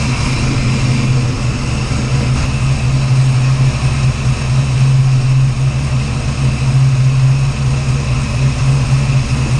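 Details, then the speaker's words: 408 Clevor V8 running while initial ignition timing is being set with a timing light: deep steady even rumble, no misses, ticks or knocks; sounds good, normal running. "[Music] oh man better long time coming sounds good whoo she's old tap good sounds good"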